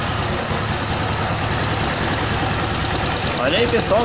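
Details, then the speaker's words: Honda CG motorcycle engine rebuilt to 262cc (CG 260R project), just finished: steady single-cylinder beat at a calm, even idle around 1,500 rpm, no knocks or misses; a healthy idle. "vou ligar e mostrar como a marcha lenta ficou parado aqui em 1.500 RPM tranquila sem ser Quadrada Tá uma marcha lenta bacana né"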